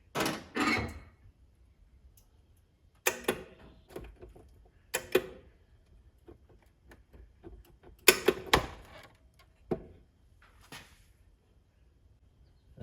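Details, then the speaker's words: Soda pop machine in a shop, with its compressor disconnected: irregular sharp clicks in small clusters every few seconds in a quiet room. The owner suspects the coin-handling/change mechanism is cycling by itself. "So what's that noise over there? My pop machine's doing something. That's odd because I had disconnected all the compressor and everything, so it sounds like something going on in the change."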